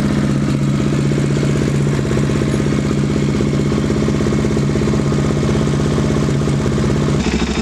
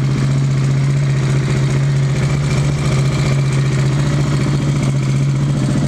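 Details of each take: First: KTM 690 single, idling after fitting a Rally Raid mechanical cam chain tensioner not yet tightened enough: steady idle with light metallic clatter on every beat; timing chain rattle from slack chain, fix is snug to pressure point plus half turn. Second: KTM 690 single after adjusting Rally Raid mechanical cam chain tensioner to pressure point plus half turn: steady, even low thump with smooth hum, no ticking or rattle; healthy normal idle.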